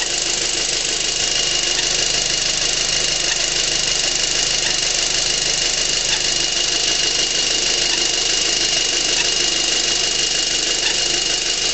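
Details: 2006 VW GTI at idle: a thin, high chirp like a turkey call repeats every second or two from the passenger side of the engine. An intermittent chirp whose source is unclear.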